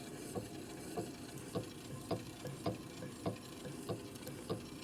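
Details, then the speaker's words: 1961 Harley-Davidson XLCH Sportster freshly rebuilt crank, loosened just enough to turn by hand on centers: light tick about a hundred per minute, rough on one side; a bad taper is suspected, not confirmed. "So this crank is not too straight, but I don't like it that other noise. I loosen it up just enough to turn."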